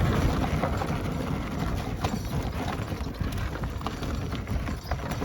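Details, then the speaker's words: Ola S1 electric scooter at 11,000 km, riding on bad roads: irregular metallic clanks and rattles, like utensils colliding, from a small part at the single-sided front fork suspension. Not evident on normal roads. "But the thing is, ये जो नीचे suspension वाला area है, इसमें single sided फोक आता है। यहाँ पर एक छोटा सा पार्ट है जिसमें बर्तन टकराने वाली कुछ ऐसे आवाज़ आती है।"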